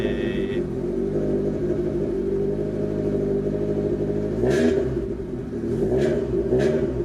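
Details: Honda Civic EF starting after rear trailing arm repair and disc swap, battery reinstalled and fuel pump listened for: engine catches and settles into an even idle with a few throttle blips; starts normally.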